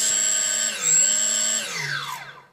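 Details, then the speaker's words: 3D Robotics quadcopter with APM 2.5 board on firmware 2.9.1: the stick is barely raised and output jumps from 985 to very high motor speed with a shrill steady whine, then spins down; no progressive throttle, suspected board, software or configuration fault. "see that just with a minimum throttle it jumps immediately from the new value 985 to very high speed engines we can hear it so and the throttle stick was barely moved upwards so there is no progressive throttle at all this is the issue that I have"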